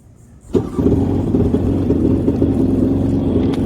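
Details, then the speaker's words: 2001 Yamaha 800XL jet ski started cold on primer, one sensor disconnected so it beeps. Fires, then runs low and uneven with a lumpy, wavering beat, barely holding idle: rough cold running, near stall. "there we go no don't stall on me don't stall do i swear to god i know you got to heat up but hurry up and do it already"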